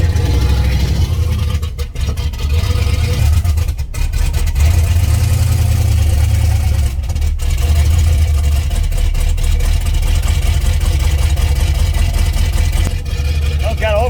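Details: '89 turbo Fox Body Mustang V8 after an oil pump install and distributor re-stab: a deep, lumpy idle with an uneven loping beat and stumbles, running on seven cylinders because the number one spark plug was left out.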